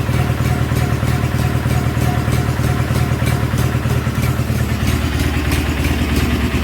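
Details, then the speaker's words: 1976 Sears SS18 twin on a fresh battery with a spark tester still attached: it idles with a lumpy beat and uneven skipping pulses. The front spark plug was loose, and threads may be stripped; misfire cause unconfirmed. "It's misfiring quite a bit. Could be because I have that spark tester on there, but I did notice that this front spark plug was loose."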